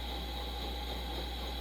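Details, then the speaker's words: 1956 Coleman 500a stove, replacement unit straightened and rebuilt, running after preheat. A steady, even roar with no sputtering or pulsing; the burner runs cleanly. "we are cooking"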